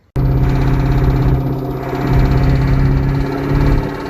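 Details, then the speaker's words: C5 Corvette V8 after first heads and cam swap, untuned: loud heavy engine with sharp steady tap around 1500-2000 rpm, recorded by phone in trans tunnel with no tunnel cover; owner thinks it comes from the bell housing, cause unconfirmed. "around 1500 2000 rpm you get a really loud call it a knock called a tap it's somewhere in between"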